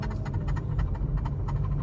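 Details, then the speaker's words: 2017 Infiniti Q50 driving on the road: light rhythmic ticking, about four per second over road rumble, intermittent and goes away when braking; owner first suspected the brakes, later traced to a loose parking brake cable piece striking the driveshaft. "and then when I hit the brakes like it goes away but you can hear it now sometimes it's there sometimes it don't"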